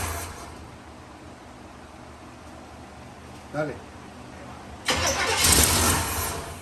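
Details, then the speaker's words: 1957 Chevrolet Bel Air sitting 19 years, first start attempt with fuel poured into the carb: loud rough cranking with uneven chuffs that never catches; fuel pump suspected bad, not confirmed. "still hasn't pulled any guys so hopefully that fuel pump do work in here"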